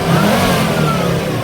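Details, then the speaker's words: Volvo S60 five-cylinder turbo, after repairs including replacing a broken ignition coil; previously ran violently: smooth, even rev rising and settling cleanly, no misfire, knock or smoke, runs like a sewing machine. "oh listen to that purr five cylinder turbo charged nice and smooth too"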